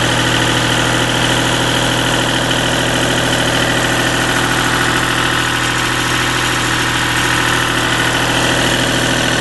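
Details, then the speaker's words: Deutz diesel engine driving a Lima generator, first start-up after repair, at about 1,800 rpm: steady even drone with no misses, knocks or hunting. Normal governed-speed running. "thinking that's pretty close to 1,800 right there."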